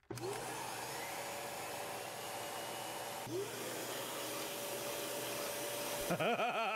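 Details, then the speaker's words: Dyson Animal Big Ball vacuum running: steady high-pitched rushing roar, even motor tone, no rattles or pulsing; about 80–85 dB at ear level, drawing 712 W at 6.04 A with 98% power factor; motor healthy. "very likely at ear level you're probably 85 80 85 decibels so you're you're right on the cusp of needing hearing protection"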